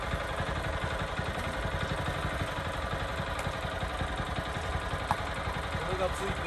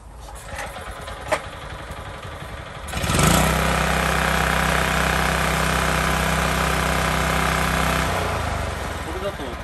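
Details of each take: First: Mini tiller (small single-cylinder) that revs poorly and lacks power: low, uneven, flat and strained running; cause is a dust-clogged air cleaner, to be washed in kerosene or blown out with air, or replaced. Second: Mini tiller (small single-cylinder) after the clogged, dusty air cleaner is dealt with: catches after a pull and settles into a steady, even buzz with no stumbling; running well.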